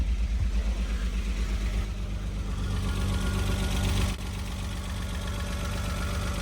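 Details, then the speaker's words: Renault Alpine GTA Turbo, revived after years in storage: idle lopes and stumbles unevenly, then smooths slightly with roughness remaining; misfire, old fuel suspected, and an injector found not fully clipped in, after which rpm rose. "All right. It's running. Running a little rough. Hang on a second. It's definitely had to have been fuel."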